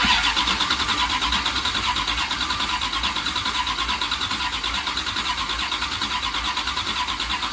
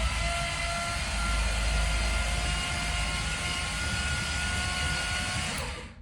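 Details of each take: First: 1977 Dodge Ramcharger 440 big block V8, long-dormant basket case, plugs in, cranked while listening for weak cylinders: steady cranking about three beats a second with uneven strength; a few cylinders may be down, no major skips. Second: 1977 Dodge Ramcharger 440 big block, cranked on the key with 5 quarts of oil and the oil gauge not moving. A fast, even whirr on the starter with no knocks or clatter, then it stops: a clean crank.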